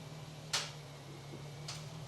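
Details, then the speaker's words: 2007 Chrysler 300C SRT8, failed to start earlier, battery charged and being jump-started: key turned gives only two sharp single clicks about a second apart over a faint hum, no cranking; won't start, cause not yet found. "it's clicking. So nothing? Yeah. Sounds like right now we're gonna have to do some more troubleshooting to get this thing reliably started."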